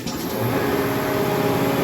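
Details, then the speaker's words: Used Hydrovane VSD air compressor, variable-speed soft start: motor comes in slowly and settles into a steady even hum while up to pressure, not yet unloaded; no knocking, healthy start-up. "nice and slow [Music] it's up to pressure so it won't build any more air oh it may build a little bit it doesn't sound like it's unloaded yet"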